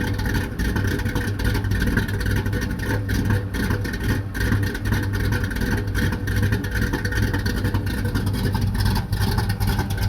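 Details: Chevrolet Impala V8 idling rough: low, lumpy idle with uneven beats that stumble and surge instead of holding a smooth rhythm.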